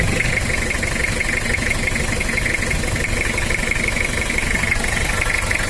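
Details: Toyota Kijang diesel 2L engine, cold idle: steady duk-duk clatter about two per second over harsh rattle; valve train knock from worn camshaft and valve clearance, worn liners, heavy oil consumption, smokes and spits oil when warm; engine being overhauled.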